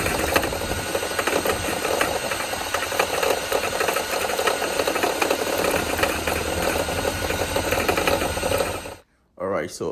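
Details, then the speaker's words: Mercedes CLS63 with M156 V8 at idle: dull repeating rod-knock-like knock under the engine noise; water pump replaced without fixing it, alternator now suspected; source not confirmed. "My buddy CLS63, and we got this like rod knocking type of noise. And we first thought it was the water pump."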